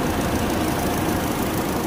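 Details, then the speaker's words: Car at 114,000 km, engine idling, bonnet open: rough uneven whirring rattle from the radiator fan motor wobbling badly and vibrating the radiator; worn fan motor to be replaced, risking overheating otherwise. "nah sumber suaranya dari sini bosku dan ini disebabkan ban motor radiator goyang lalu menimbulkan bunyi yang tadi"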